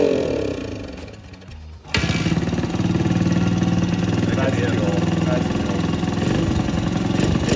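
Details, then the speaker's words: Dirt bike recovered from the bottom of a lake, just restarted with fresh fuel and left to idle: loud, uneven idle whose beat wanders without settling. It runs but is too rough to ride, and the carburetor was later found to be the issue. "right it runs but just not good not good enough to ride"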